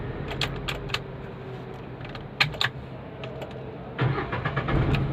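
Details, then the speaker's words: Renault Kwid after adjusting the damaged silencer underneath: key clicks, clean crank and catch into a smooth steady idle with no rattle or knocking from underneath; starting noise resolved. "आप देख सकते हो कुछ भी आवाज नहीं ए रहा वापस अगेन स्टार्ट करो ऑफ करके"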